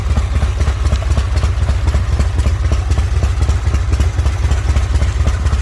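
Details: Harley motorcycle the owner built and maintains himself, idling after being returned from police impound: deep, loping low-pitched idle with an even potato-like beat about two per second, no knocks or clatter; normal healthy idle.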